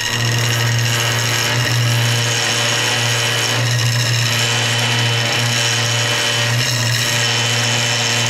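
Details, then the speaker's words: Wood lathe turning hard banksia pods in epoxy: hum under harsh buzzing as the wood vibrates and skips on the cutter, tool chatter; hands on bowl didn't help, bevel rubbing reduces it. "n the cutter and you know here here I'm noticing it and I'm trying different things to try and sometimes I put my my hands on the outside of of the uh the bowl to try and calm that down a little bit and that wasn't doing anything"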